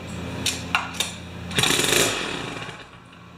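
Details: Jiffy 30 two-stroke 3 HP ice auger that won't run: a few dry clicks, then a half-second burst of ragged firing that fades out, with nothing left in the tank; stall from fuel starvation.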